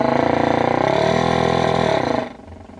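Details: Mid-1930s vacuum tube radio from a mouse-nest set, 6J8 tube swapped with no change: loud buzzing roar with wavering pitch from the speaker, then abruptly drops away; owner suspects old mica postage-stamp capacitors.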